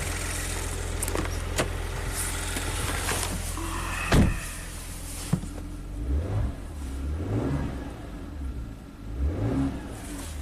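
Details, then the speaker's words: 2016 Maserati Ghibli twin turbo after new timing chains, covers off: an even idle climbs cleanly through several smooth revs and settles back, with only a faint buzz the mechanic suspects is the high-pressure fuel pump. The engine sounds healthy. "And it runs great. Just like expected."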